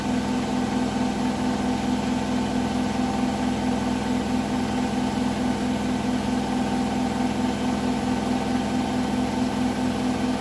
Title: Hotpoint bed + bath final 1400rpm weird knocking noise at 1400rpm